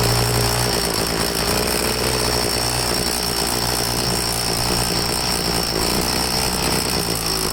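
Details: Troy-Bilt two-stroke leaf blower after carburetor cleaning, test start: high buzzing note wavering and stumbling instead of holding steady, losing prime at the bulb; rough running, tank found out of gas.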